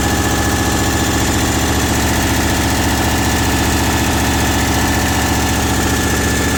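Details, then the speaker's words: Truck idled up high with fast idle, boost gauge showing vacuum: fast sharp ticking about three per second keeping time with the engine; owner believes an exhaust leak, heard before oil pressure issues. "I believe that that's an exhaust leak. I heard it before I had any oil pressure issues. I heard it last week when I was towing Davis' truck back to Ohio."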